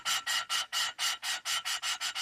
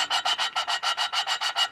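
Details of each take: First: Small-block Chevy aluminum race-car head, valve being lapped into its seat with compound after bent valves were replaced: even back-and-forth rasping strokes, four or five a second, the coarse grind turned to a fine smooth hiss, meaning the seat is fully lapped. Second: Small block Chevy aluminum head, valve replacement after bent valves: lapping a valve with compound gives a quick gritty back-and-forth rasp, still coarse; keep lapping until the sound turns finer, as the seat is not yet finished.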